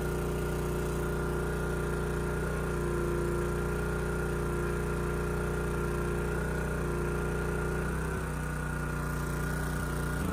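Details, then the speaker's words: Honda EG2200X generator, early-to-mid 1990s, at first outdoor start with no load: steady mid-pitch drone with an uneven, wavering beat; starts easily, choke off, running rich and not smooth, and choking it made no difference. Rough running traced to a wide-gapped spark plug. "yeah so started really easy and I was able to turn the choke off you know it's not running perfectly and you know I started to choke it a little see if that made a difference and it didn't"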